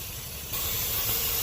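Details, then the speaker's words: 2005 Chevy Tahoe idling: steady airy hiss over low rumble from a torn vacuum hose; check engine light flashing on highway and shaking when driving; fixed by replacing the hose. "you can actually hear some air coming out so it has a vacuum leak"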